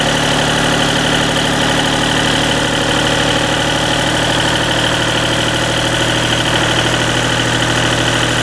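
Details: Deutz diesel engine driving a Lima generator, first start-up after repair, held at about 1,800 rpm: smooth constant drone with no surging, knocks or rattles. Normal running at governed speed.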